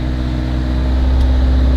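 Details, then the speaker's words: 1979 Honda Civic, carbureted, cold engine idling on pulled choke after dying once without it: steady, even low hum with no misses or knocks; a normal cold idle on choke. "I'll pull out the choke there. Oh, there you go. Now it's mint."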